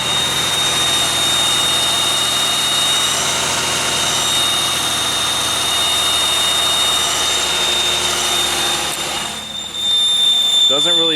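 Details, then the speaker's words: 2001 Pontiac Aztek GT running with the alternator belt off and a small gas leak: high, steady squeal over the engine; not coming from the harmonic balancer as suspected, source still unclear. "like it's coming from the harmonic balancer after all so it's something else which is now very interesting so as we got close to that balancer it really didn't sound like it was coming from down there"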